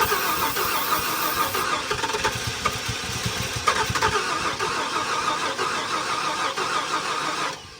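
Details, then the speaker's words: 1994 Ford F-150 parked seized for 7 years, fresh gas, primed fuel line: starter churns at steady uneven beat, about three turns a second, no firing; ignition timing off from loose distributor, fixed by tightening it. "I think I know how to go for it. I tighten that distributor down. Got oil pressure."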